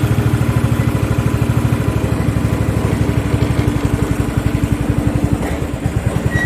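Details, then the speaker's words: Craftsman riding lawn tractor 917.273760, free, loose pulley and exhaust, after carburetor work: uneven single-cylinder putter with dropped beats and stumbling firing like a hit-and-miss engine; fuel starvation from restricted filter. "Sounds a little bit like a hit and miss engine."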